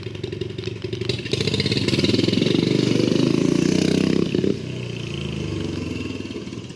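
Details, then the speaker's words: 420cc turbocharged EFI drift trike at full throttle: revs hard then sags and stumbles; air in the fuel as cornering throws fuel to the back of the tank away from the pickup, pickup tubing size wrong; fuel starvation. "You got air in the fuel again? Yep. So when we sling it around, it throws all the fuel to the back. And that's not where your pickup's at."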